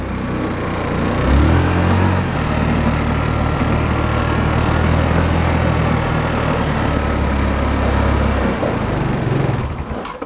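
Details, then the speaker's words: Small Chinese engine newly fitted to a restored budget buggy with a centrifugal clutch, still being run in: steady, even drone with a firm low beat, no clicks or knocks, and the differential silent; normal running. "das Differential knackt und knnickt nicht mal du hörst ja gar nichts davon der klingt gut der klingt wie meine pitbikes"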